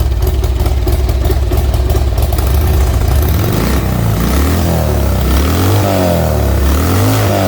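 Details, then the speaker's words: Old Harley Sportster after intake gasket replacement, started on choke, cold: engine catches and revs, then settles into a lumpy, uneven idle that rises and falls; mixture suspected not right yet. "oh okay then well hey she runs she fired up she idled probably so cool to warm up before I start doing that but I'll call it a victory"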